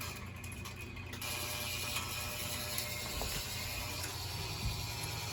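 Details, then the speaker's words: Burnham Alpine gas boiler with no heat or hot water, neglected: steady mechanical ratcheting and clicking over a constant hum as the boiler runs and climbs in temperature; two zone valves diagnosed bad, one end switch no good. "come on stay running there you go running we are running and climbing in temperature yeah we got two bad zone valves"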